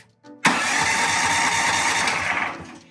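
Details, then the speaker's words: Powerhorse 420cc OHV horizontal small engine, with oil but no gas, fuel and choke off, on a 330 cranking-amp battery: starter dry-run test. A sharp, bright whir for about two seconds, spinning fast and strong without catching or grinding; normal starter cranking. "It's a lot of juice, and I can feel it kicking the starter out. It's not playing."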